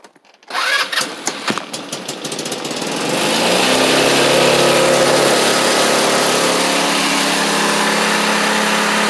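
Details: X-Pro GY6 scooter just reassembled with carburetor, cranking then catching; fast buzzy idle set high because lower it stalls, owner suspects remaining vacuum leaks. High idle.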